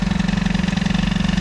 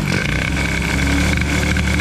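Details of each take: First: Peugeot 103 T6 65 two-stroke moped: fast, even buzz with rapid steady pulses, about 25 a second, no dip; carburettor idle speed set too high, about to be adjusted. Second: Peugeot 103 moped with tuned T6 65 setup after carburetion changes: small two-stroke buzzing at a steady, slightly lumpy idle with music behind; settles and holds idle cleanly.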